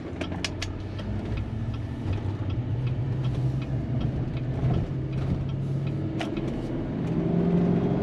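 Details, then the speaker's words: 2015 Chevy Silverado 2500HD LML Duramax diesel on a gentle road test after CP4 pump replacement, new fuel filter, flushed fuel lines and cleaned tank: smooth, even low drone climbing with road speed, no knocks or misses; normal acceleration. "I'm not getting in it all the way I'm just gonna be gentle with it that was great"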